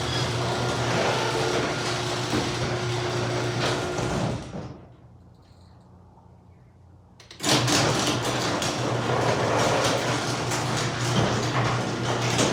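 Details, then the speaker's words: Garage door after its squeaky parts were sprayed with 3-in-One garage door lube, after treatment: opener hums and the door rolls evenly with no squeak, pausing briefly midway, then continuing smoothly; normal operation. "That sound a whole lot better. Yeah. That made a world of difference."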